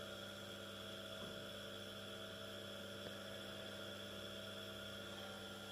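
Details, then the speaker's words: Small 230 V single-phase induction motor, run from a homemade variac at about 110–165 V: low, steady hum with no knocks, rubbing or bearing growl. Audibility rose from 55 to 115 V but barely increased from 110 to 165 V; normal running. "I've also been able to detect that as soon as I went from 50 55 to 115 volts the audibility of the motor has increased but when I went from home 151 or 110 to 165 volts the noise hasn't really increased that much"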